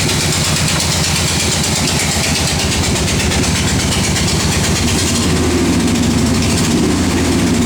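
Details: 1968 Corvette V8 at idle with a fast, steady ticking, louder on the passenger side. It persisted after the exhaust gasket was replaced, and valve springs, rockers and pushrods checked fine; owner suspects a rod bearing, unconfirmed.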